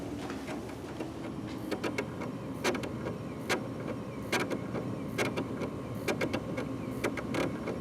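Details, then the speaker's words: Gateway SX2855 PC with its original 500GB 3.5" hard drive: during boot, uneven sharp clicks repeat about once a second over a faint hum for around 10 minutes as the failing drive keeps retrying. "l grabbed this old computer out of the closet it's got a failed hard drive"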